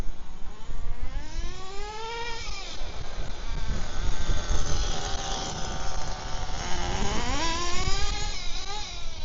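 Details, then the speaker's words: HPI Firestorm nitro RC truck after fitting the missing slipper clutch spacer, now warmed up at quarter throttle: high-pitched buzz sweeping with throttle, picking up sharp without stalling; normal running, still needs tuning. "actually now it's warming up it's pretty sharp yeah he tuning yeah it bed down a bit then now it's warmed up so that's just quarter throttle nice"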